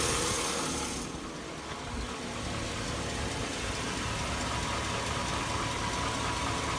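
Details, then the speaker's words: 2002 Chevy Avalanche 1500 5.3L V8, warmed-up idle: a steady fast tick of about three to four a second from the right side, diesel-like and getting worse for a year. The owner likens it to an F-150 cam phaser tick; unconfirmed. "[Music] got a pretty good knock I don't know whatever that is if you guys know what that noise is it's warmed warmed up here it's on the right side"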